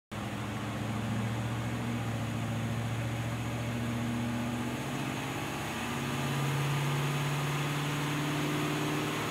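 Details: 1974 Pontiac Firebird, carbureted V8, on a dynamometer at full throttle: deep roar with an uneven, stumbling beat, a misfire under load.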